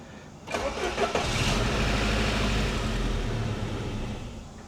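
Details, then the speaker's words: 1988 Saab 900 Turbo after a replaced starter and fuel line repair, long a no-start: brisk, strong cranking for about half a second, then the engine fires and settles to a steady idle, though it doesn't keep running; the starter sounds healthy. "That sounds like a starter with some oomph behind it. Okay, I like that. I like it a lot."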